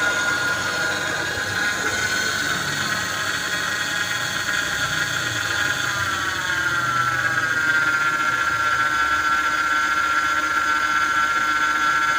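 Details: Mercedes-Benz R-Class (W251) with engine running: steady high whine, briefly climbing then holding, from the power steering pump starved by low power steering fluid; top up before worse damage.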